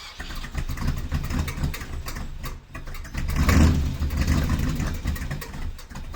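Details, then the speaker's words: V8 after new valve cover gaskets and valve adjustment for a driver's-side problem: blipped revs bring a rough, rattly clatter rising with rpm; a bent pushrod and broken valve spring were found. "it came out like this when i ended up opening up the valve cover again after that weird ass noise that was on camera it came out like this and i pulled it and i was like oh my god and then i looked further into the car and the spring was broken"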